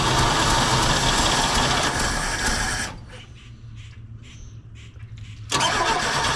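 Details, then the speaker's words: 1968 GMC C1500 pickup after 27 years in a field, fed from a gas can hose to the fuel pump: steady starter churning, pause, more cranking, never catching; fuel starvation, pump seen bubbling trying to pick up fuel. "I keep trying because I can see it bubbling in the fuel tank there like it's trying to pick it up the pump's trying to pick it up"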